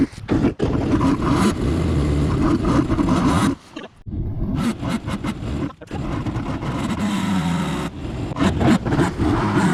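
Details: 1998 XL760 jetski after carburetor teardown. It earlier kept running with the fuel shut off and plug wires removed. Screams flat out, briefly dips then surges back, never dropping to idle: runaway engine, cause not yet found.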